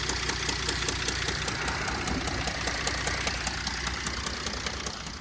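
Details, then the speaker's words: 2005 Mercedes CLS 320 CDI diesel at idle: steady sharp knocking two or three a second in time with idle; deep bottom-end knock, owner suspects rod bearing, unconfirmed. "Why am I getting these knocks on the engine? Like, I think it's the rod bearing."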